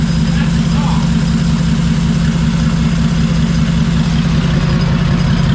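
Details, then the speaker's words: Freshly fitted Barra six in a drift car, first start: deep, even rumble at idle with no knocks or misses; pulling one spark plug lead didn't kill it, oil pressure present. "There we go. Runs like a drain, we couldn't even turn it off."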